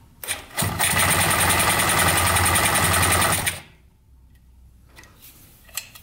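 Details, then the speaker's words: 1971 Yamaha CS200 two-stroke twin, sat over 17 years, on choke after the fix: catches almost at once and revs into a crisp ringing buzz for about three seconds, a little smoky; starts and runs. "A little smoky, but yeah, it runs pretty good. Woohoo! Smoky girl."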